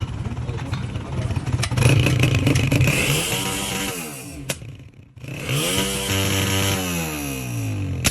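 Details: Honda CG125 Euro single-cylinder: revs rise and fall with sharp cracks and pops as throttle closes; exhaust backfire on deceleration, cause not yet found.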